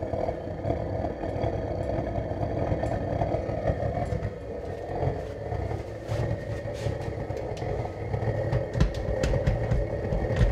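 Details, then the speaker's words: DIY gravity-drip waste-oil burner burning engine and hydraulic oil, just fired up on a slow dribble: a rough rumbling roar with a few sharp pops, backfiring because too much start-up oil is pooled inside. It burns off as it heats up. "and see some backfire because there's too much oil in there right now"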